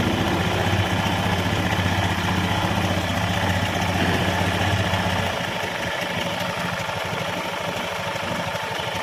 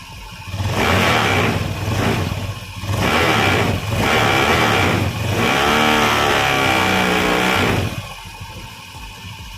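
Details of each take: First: Honda Scoopy (K44) scooter, before repair, weak power and rough CVT sound, at idle: rough crackly rattle over an uneven idle, easing slightly later, from vibration of a hardening drive belt, hardened CVT drive belt. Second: Honda Scoopy (K44) scooter with CVT components removed, checking engine alone: about five clean throttle blips rising and falling smoothly over steady idle, engine and crank area normal, normal revving.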